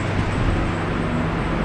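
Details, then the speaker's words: R31 Nissan Skyline TI petrol engine after an exhaust leak repair idles with a steady, even low hum, with no puffing and only the typical lifter tick remaining. "oh it's running so smooth a that's better that's what we want that's so much better"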